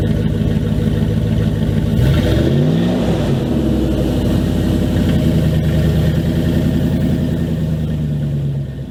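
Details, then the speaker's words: 2000 Dodge Dakota cold start before repair: loud, deep, blatty rumble rising with revs and dropping back at idle; exhaust leaking where pipe rotted through at a hanger under the passenger seat, ahead of aftermarket exhaust. "i'll give you guys a nice little cold start that way you guys can hear what it sounds like currently with the exhaust being broken and compared to how it'll sound after i fix it"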